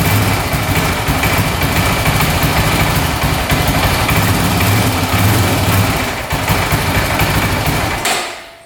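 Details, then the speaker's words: 2004 Honda 400EX single-cylinder quad, after carb clean and valve adjustment, on choke, warming up: runs rough, revs briefly then abruptly dies; owner suspects lost spark or fuel starvation, stator and coil to be tested; stalling after revving. "It'll rev out for a little bit with the choke on and then just die randomly like that. So, it's almost like it's losing spark or not getting enough fuel or something's going on."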